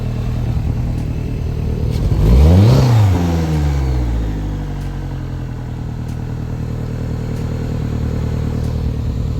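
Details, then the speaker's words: 2007 Suzuki 175 outboard, 700 hours, freshwater-only, swapped in for a blown 140 on muffs: engine revs hard, stumbles briefly when throttle is jammed open, then goes and settles to idle; hesitation on sudden throttle. "You felt that bog down? Just a little If you jam the throttle, it like breaks up for a second and then will go. It's kind of weird."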